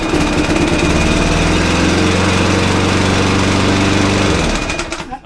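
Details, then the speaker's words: Lawnmower that ran very slow and would not switch off, after greasing the stuck part: single-cylinder putters fast and even, revs now rise automatically, then winds down and stops cleanly when shut off; normal running. "that mark is now working. Literally just a bit of grease. So the revs will go up now automatically."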